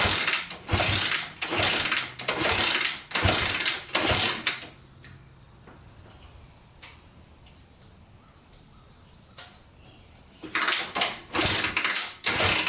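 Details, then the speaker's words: 1987 Honda 250X single after top-end rebuild and new coil, with blue spark and fuel reaching the cylinder: bursts of about a dozen kicks, roughly one a second, no firing; no-start from low compression due to leaking exhaust valves. "so all right still doesn't want to start so i don't think we have a sparking problem"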